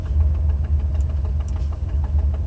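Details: Buick 455 Stage-1 Regal T V8 at idle, inside car with windows up: sharp light tick four to five per second keeping pace with idle, from broken 11-year-old header gasket at #7 flange, driver side; new gasket planned.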